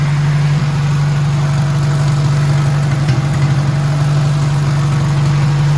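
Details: 1957 Hercules Power flathead four-cylinder (tag model ZXB, 2-5/8 x 3) with magneto, restarted on choke after refilling fuel filter: steady low even drone holding level, no knocks or misses; normal smooth running.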